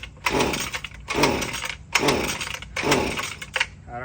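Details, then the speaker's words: Husqvarna string trimmer after the carburetor was primed 10 times and the choke sequence was followed: four raspy pull-starts about a second apart that turn over but never catch. It sounds a little weak and will not start. "don't know, sounds like it's a little weak."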